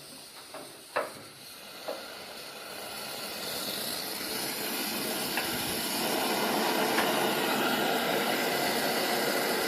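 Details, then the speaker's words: 1920s Coleman No. 2 camp stove and oven, after the priming cup is lit: a few light ticks, then a soft steady hiss building as liquid gas in the generator heats and vaporizes; normal preheat "hot air blast". "You can start to hear the liquid gas inside the generator heating up. So that should be long enough."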